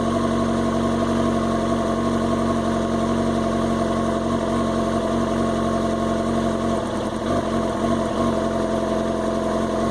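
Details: 2005 Yamaha R6 that sat unridden for a while but was started twice weekly: idle with an uneven, lumpy beat and wavering note, stumbling near the end; rough idle, owner fears the coils, cause not found.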